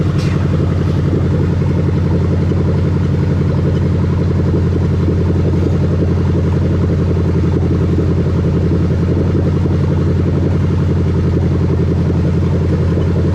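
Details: 1998-2000 Lexus LS400 1UZ-FE VVT-i V8 on test with new rebuilt LHD harness, check engine light out: smooth, even idle with steady low rumble, no missing beats, knocks or ticks; healthy engine.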